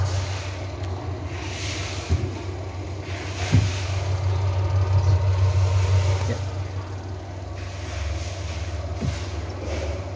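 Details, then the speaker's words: Sharp washing machine spin dryer after fixing a sticking brake by tightening the tensioner on its expanded pull cord; steady low motor hum builds and holds with light thumps, spinning fast and smooth with a firm brake. "pengeringnya sudah berputar dengan normal teman-teman. Nah itu putarnya kenceng sekali dan remnya juga pakem sekali ya."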